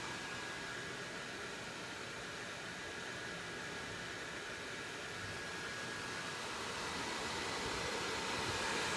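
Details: ASUS M11AD-US006O desktop: a constant loud rushing whoosh with a faint steady hum and no change in speed, a cooling fan loud enough to prevent phone calls nearby.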